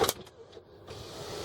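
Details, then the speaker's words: 2001 Land Rover Discovery 2 at 102,295 miles, rear sunroof opening and closing: a steady electric motor whir as the panel travels, with no grinding, clicking or stalling, so the sunroof motor is working normally. "this other button is for the rear sunroof we're going to open and close it here we go"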